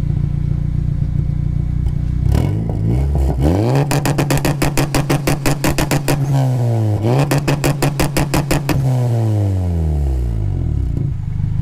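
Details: Turbo Honda on a Crome Gold tune with two-step launch control, recorded from the rear: revs climb and hold at the limiter with rapid sharp exhaust cracks and pops, about three per second, building almost 5 psi boost standing still, no flames.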